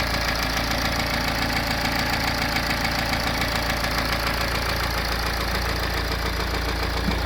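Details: BMW N47 diesel (520d/320d/120d) at idle with a steady, even knock of just under two beats a second over the diesel clatter. The bottom end has failed.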